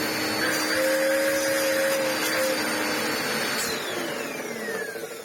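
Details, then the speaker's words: Ewbank Motion EW3001 cheap corded upright vacuum after unclogging; 700 W motor gives a strong, even whine at steady pitch, then winds down smoothly; now pulling at full power. "But our utterly disposable little 700 watt motor is now being able to do the full force of its power."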